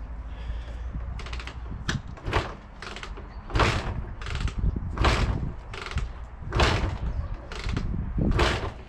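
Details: Barn-find Honda MTX200 two-stroke with oil pump disconnected, on choke, repeatedly kicked: clatter but no firing, cranks but won't start; reportedly no second gear.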